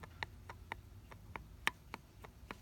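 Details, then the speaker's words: Mercedes 190SL Solex carburetor, supposedly rebuilt but not functioning, with original butterflies and screws: sharp uneven dry clicks, about ten in three seconds, as the throttle shaft is rocked by hand; way too much slop, badly worn shaft bushings. "This is way too much slop in here. Way too much"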